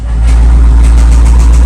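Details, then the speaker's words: Jeep Trackhawk, Hemi V8, weak battery, just after startup: heavy rumble with a quick, regular knock coming from the bottom of the engine. Rod knock from rod bearing failure. "Okay, so we got it started and she is knocking. Oh, yeah. And that Yep. It's coming from the bottom portion of the engine."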